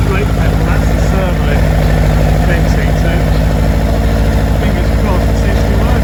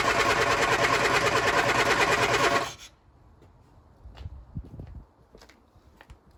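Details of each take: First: Lotus Elan being readied for first test drive after brake repairs: deep, steady engine rumble with an even beat, no misfire or knock; normal running engine. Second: Lotus Elan cold start after sitting over a week, on a damp morning with choke and throttle pumps: quick, steady cranking at about three compressions a second for about three seconds, with no catch. Owner suspects fuel delivery; cranks, no start.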